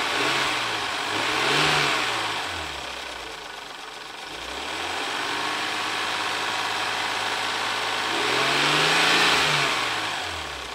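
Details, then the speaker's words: 1994 Ford Probe GT 2.5 V6, briefly warmed up after new NGK plugs and wires: smooth idle with two clean rev blips rising and falling without misfire, popping or rattle; normal, sounds good. "Alright, she's had a little bit of time to warm up. Let's see how she sounds."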